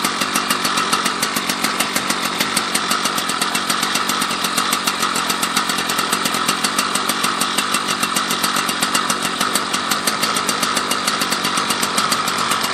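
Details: Husqvarna 281/288 chainsaw revived after it had no spark, now with a new coil and fresh gas: a fast, even two-stroke crackle holding a steady pitch with no misses or surges. Runs cleanly; normal running.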